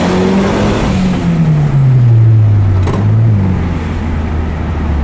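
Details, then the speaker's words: Turbocharged car after replacing and properly gapping spark plugs, previously sputtering from misfire at 3000 rpm and above: smooth, even rev climb with continuous turbo whistle, no stumble, much faster. Normal acceleration. "hear that the sound that it sounds a lot smoother you can hear a continuous whistle coming from the turbo and it's also a lot lot faster"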